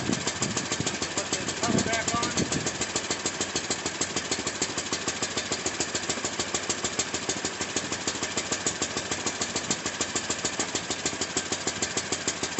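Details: Baja WD250U ATV after carburetor cleaning for bad gas, started on jumper cables and warmed up; small single settles into a steady, even putter about three beats per second with no stumble; normal idle after repair.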